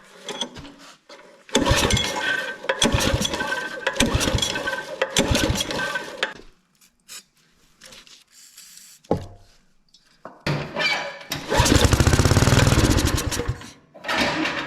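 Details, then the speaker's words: Neighbour's rototiller just after its corroded carburetor bowl was cleaned, with fresh fuel, choke on, fuel on and throttle in the middle. It fires briefly on several pulls, then dies each time. It has spark and is suspected not to be getting fuel. "Okay, so we got spark there, because you could hear it run, but we're not getting fuel, so I might try that a couple more times."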